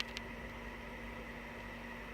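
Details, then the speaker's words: 3D printer cooling fan at power-on, wired to the fan +/- terminals, after a clogged-nozzle teardown; it is a big share of the printer's noise. Loud steady whoosh with a constant hum that never changes speed. The fan runs normally. "Et il y a une bonne partie du bruit qui vient du ventilo qui est juste là."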